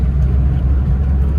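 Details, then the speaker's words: Maruti Alto K10 petrol after engine overhaul (head cleaned, new head gasket, carboned pistons cleaned, timing set), 85,708 km, accelerating on road trial: deep, even rumble with no stumbles; no misfire or extra noise and no check-engine light. "Engine की voice भी बिल्कुल smooth है, कोई फालतू की noise नहीं है engine में भी।"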